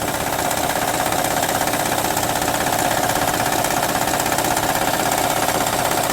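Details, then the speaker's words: 2006 Honda Odyssey at idle: fast, steady slapping rattle about two or three beats a second from an incorrectly installed timing belt wobbling on both sides; camshafts possibly also damaged; an original timing belt to be ordered. "y de ahí esto viene el ruido Como les dije de este lado y de este lado está bailando está mal puesto"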